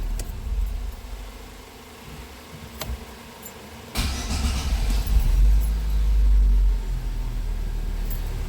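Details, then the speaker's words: GM Celta after repair of a loud starting noise, possibly low on fuel: short crank, then it catches into a smooth low idle with no grinding or clatter. Normal start, the noise is gone. "aqu que dava para escutar de longe aquele barulho lá que fazia ó vamos dar partida acabou o barulho"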